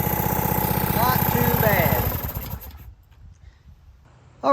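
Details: Hookah diving air compressor, built to about 150 psi from a dead start, held wide open, then bled down. The engine thumps steadily under load, then eases and quiets as the compressor reaches pressure and unloads: normal.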